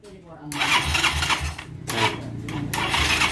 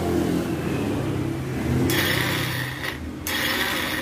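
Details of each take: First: Yamaha Xeon carburettor scooter after starter repair and wiring check: starter spins cleanly and the small engine catches at once, revving in short blips; electric start now works normally. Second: Yamaha Xeon carburettor scooter, electric starter button pressed: high whirring whine spins up and stops but never catches or turns the engine; starter motor runs free without engaging, mechanic suspects worn or broken one-way starter clutch.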